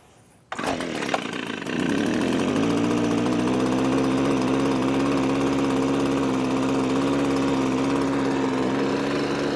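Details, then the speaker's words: Echo PB255-LN two-stroke leaf blower after no-start repair with carburetor replaced and coil gap set, choke in run, a little throttle: catches within a second, steady even drone without misfire; runs healthy. "I think that'll do it. Echo PB 255 LN saved it from the grave."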